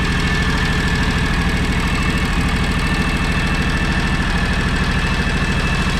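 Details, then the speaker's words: John Deere X729 mower/tractor after full service, which had missed at idle with suspected clogged carburetor: even, steady low chug with no misses, knocks or rattles; normal idle. "let's listen to it purr now"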